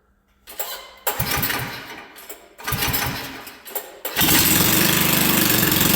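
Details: 1979 Chrysler Sno-Runner rebuilt with a 7.5 hp 212cc engine, pull-started on choke with brakes on: a few pulls with short sputters, then it catches and settles into a steady, even single-cylinder idle; normal cold start, sounds healthy.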